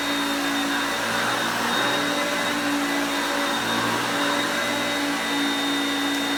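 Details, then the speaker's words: Hoover Concepts upright vacuum (high and low power settings) with self-propelled drive engaged while moved back and forth: steady motor whine whose pitch steps up and down as the drive gears change; still strong, running normally. "Wow that is better than most modern brand-new machines it's still got a wonderful kick on it"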